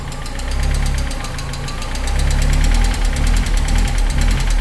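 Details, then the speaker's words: 1998 Mercedes SLK230 R170, M111 Kompressor engine: idle swells and sags in slow surges, never settling, when throttle closed; runs fine with throttle opened 5–10°; throttle adaptation stops prematurely; hunting caused by a faulty ECU. "Uh, the car would run perfectly if I take off this throttle body and give it a bit of open the throttle just like 5° or 10°. And if I close it, it starts hunting."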